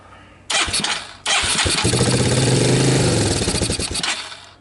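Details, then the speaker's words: 1985 Suzuki Quadrunner LT230 shaft-drive ATV, barn find, cold first start: two quick catches then a few seconds of uneven single-cylinder firing that fades and dies; owner suspects gas from jostling gave a quick start and choke isn't connected. "There was probably some gas in it from jostling it about that gave me a quick start."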